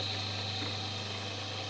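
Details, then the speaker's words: Homemade disc sander built from an old Soviet bench grinder, disc fixed with M4 screws: steady, smooth hum with a faint high whine, no wobble or knocking; disc spinning evenly. "всё работает всё ровно"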